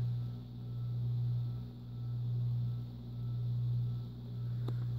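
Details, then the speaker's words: 52-inch white and brass Encon ceiling fan flush-mounted to ceiling joists, on low speed: deep steady hum with a slow rise and fall about once a second, a slight grinding-like hum carrying through the mount. "all right and fan on low it does make a bit of a grinding noise"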